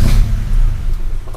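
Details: Honda Civic Genio with Ferio engine, cold-engine condition simulated by resistor in ECT sensor socket: deep steady rumble with slightly uneven beat, idle stays low without climbing; IACV or dirty throttle body suspected. Low idle speed when cold.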